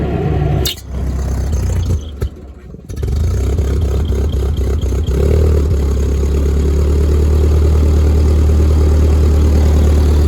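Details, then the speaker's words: Old Ford 2N tractor with worn spark plug wires, carburetor to be checked: cranks, catches, then lumpy uneven idle with faltering beat, then dies and won't restart; runs rough, possibly ignition or fuel trouble. "Yeah, there it was. Nah, it sounds awful. Yeah, this thing ain't no condition to drive."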